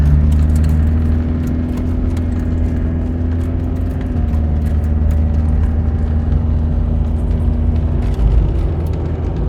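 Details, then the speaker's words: Land Rover Discovery 300Tdi diesel automatic cruising steadily after a cold start, with a new timing belt, head gasket, skimmed head, glow plugs and ancillary belts. Low even drone over road rumble with no knocks or rattles, running normally and relaxed. "It's a nice relaxed drive with the automatic. Certainly not going to scare anybody with sudden burst of speed, but does the job fine."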